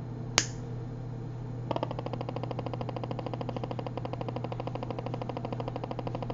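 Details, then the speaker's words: RME Fireface UC audio interface at power-up, heard through headphones: one sharp snap, then rapid, even ticking of about eight clicks a second over a low hum while the LEDs flash abnormally. The fault began after the original power supply failed and was replaced. "Je tiens à préciser que ce problème en fait est survenu après que l'alimentation de la carte son est lâchée."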